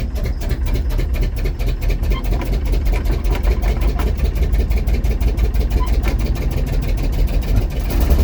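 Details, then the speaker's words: Cold start of a 1951 GMC Van Pelt fire engine inline-six at about 38°F, long unprimed, with pedal pumping. The engine holds a fast, steady roar without dropping to idle, a runaway that never happened before. Throttle linkage apparently stuck. "well then I guess uh well that's gonna be for another tale then a little bit of a runaway there it didn't happen before"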